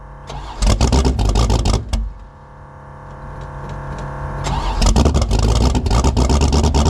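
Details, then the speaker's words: 1984 Fox Body Mustang drag car, roughly 350 hp V8, about 20 degrees out, no choke: bursts of cranking and catching, a stumbling pause, then an uneven lumpy idle as it finally stays running; 878 CFM carburetor way too big. "We finally got this thing to stay running. And um the carburetor on it is way too big. It's got an 878 CFM carb on it and it's only got about 350 horsepower."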